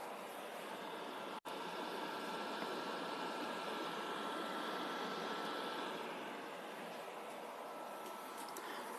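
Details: PS4 during gameplay: loud, steady jet-like fan roar. Suspected cause is dried thermal paste letting the processor overheat; planned fix is full teardown, dust cleaning and new thermal paste.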